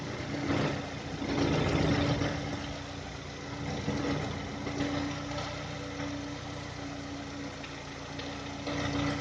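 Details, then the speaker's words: 2010 VW Touran 1.6 BSE, cold idle after two days parked: uneven knocking about four per second with faint hum as revs fall below 1000, stopping above 1000 and when warm; seems left side. Rebuilt just over 15,000 ago: new pistons, valves, hydraulic lifters, bored block; cause unknown. "Греется. Обороты падают, и начинается стук."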